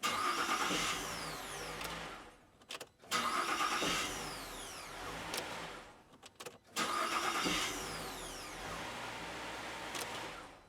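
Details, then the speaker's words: 2005 VZ Commodore V6 after a new starter was fitted, following a no-crank fault with a burnt solenoid and loose battery terminals: three clean starts, each cranking briskly and catching straight away with no clicking; repair successful. "I'd say that's a success there you go there's another one off the list wasn't really a hard repair was it"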